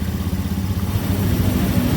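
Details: Honda Scoopy FI scooter after starter/generator magnet repair: low steady engine burble, even firing, no knocks or rattles; running smoothly.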